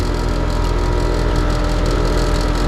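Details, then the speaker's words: HVAC heat-pump condenser on a no-cooling call: smooth steady low hum sounding unloaded; the compressor runs but isn't pumping, with pressures equal. "know i can hear that compressor running lovely compressor is running but it ain't doing nothing"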